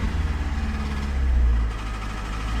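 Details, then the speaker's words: 2005 first-generation PT Cruiser, towed in after running without oil, now refilled, started on a jump box: deep pulsing knock under a rough low idle, with heavy blow-by pushing oil out; engine knock from oil starvation damage. "Oh, y'all hear that noise? Oh, no. Oh, so it's knocking."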